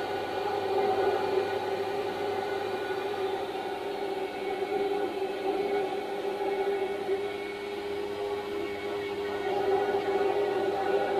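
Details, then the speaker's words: Eberspächer Schwingfeuer pulse-jet heater on a Unimog 404 radio truck running after a little fuel, with a loud, steady drone, a fixed mid-pitched tone and airy rush. It gets slightly quieter once lit and blows hot air; normal running. "And as you can hear, now suddenly it's a bit quieter. Little bit. Yep, it's blowing hot air."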